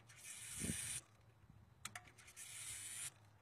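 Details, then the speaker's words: 5.0L Mustang, EEC-IV, no-start and stalling: twisting the TFI ignition module on the distributor triggers two short high buzzing whirs under a second each as the EFI fuel pump primes; intermittent TFI ignition module. "I can actually hear when I push on the module some stuff running in the back of the motor there the EFI is priming you can hear the fuel going through the right the regulator"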